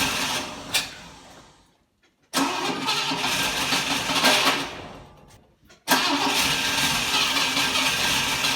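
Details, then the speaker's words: 1960 Pontiac Ventura barn find with Tri-Power carburetors, after new points, coil, plugs and wires and adjusted carbs: engine catches but runs rough, stumbling and popping; still misfiring, chugging and backfiring, cause unknown. "and it's still running terribly it's missing it's chugging backfiring"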